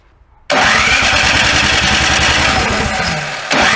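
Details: Snow blower engine at first start after summer storage: it catches abruptly, runs briefly with a rising whine, dips and picks up again. The owner says the carburetor's tiny jet holes clog in storage; the carb bowl was drained and the fuel valve cycled.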